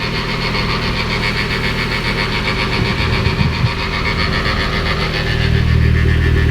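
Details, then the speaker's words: Mitsubishi Evo X engine idling with a busy, uneven rattle of about three to four taps per second over a low rumble; nothing was heard turning it over by hand, and the owner suspects it comes from the oil pan; unconfirmed. "And it's kind of, now that I look at it more, it almost sounds like it's coming from the oil pan, which is a little bit strange, a little sus."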